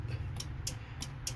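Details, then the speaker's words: Horn pressed with the relay under the dash clicking but no horn sounding: four sharp single clicks about a third of a second apart with no horn tone. The steering-wheel horn switch is likely good; the relay is not confirmed good, and the cause is still unconfirmed. "While hitting the horn, we can hear that the relay under the dash is clicking."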